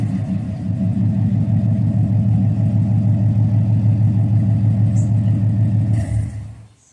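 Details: Car with new mass air flow sensor, long-tube headers and exhaust; deep even exhaust rumble with steady low pulses, then winds down and shuts off, no odd knocks or ticks; normal running.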